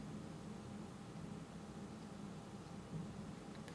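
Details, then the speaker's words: Rode NTG microphone powered over USB-C with analog output through a ground loop isolator: low steady hush with faint hum, hissing/electronic noise drastically reduced versus without the isolator. "I can see on the curve right here that it reduce drastically uh the noise"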